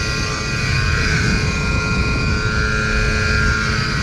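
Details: Trane air handler blower motor before replacement: loud constant rough roar with steady whirring note, far noisier than a healthy fan; worn-out motor replaced.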